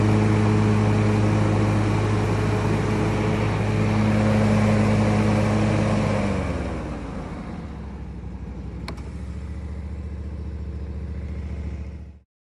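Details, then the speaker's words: 2020 Bad Boy Maverick 60-inch mower with 77 hours, after replacing the failed spindle bearings: smooth, steady drone dropping cleanly to a low, even idle with no rumble or grinding; unusually quiet, healthy mower. "now for the test nice and quiet i don't think i've ever heard it this quiet"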